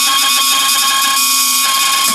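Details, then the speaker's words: Range hood extractor fan in a pre-2000 Laika Ecovip 200 I motorhome: loud steady whirring drone with shrill ringing tones and no change in speed; impeller has come loose and spins freely on its shaft. "donc là il ya il ya un truc qui tourne et il a décroché donc le bruit"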